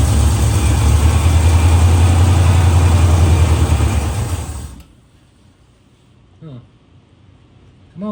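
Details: 1970 Pontiac LeMans four-door parked 30 years, first start attempt after fresh oil change: even starter cranking about 3.5 beats per second, never catches, then stops; no fuel reaching the carburetor, fuel starvation.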